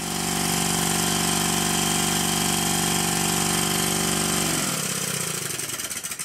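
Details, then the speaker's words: Rebuilt Stuart 10V steam engine on compressed air, after shimming a bearing to cure a tight spot at the bottom of the stroke: a steady, even beat about four per second with the knocking nearly gone; the bolts still need final tightening. "the knocking has all but disappeared I will however need to make a very fine adjustment as both of the bolts are not fully tightened"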